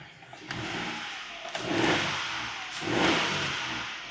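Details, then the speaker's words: Small 3.3 L-oil-capacity PSA wet-belt engine, no fault codes; two quick throttle blips with revs climbing and settling cleanly, no rattle or knock, sounding perfect and healthy. "I am more than happy now with this little engine. It's sounding perfect. Sounding nice and healthy."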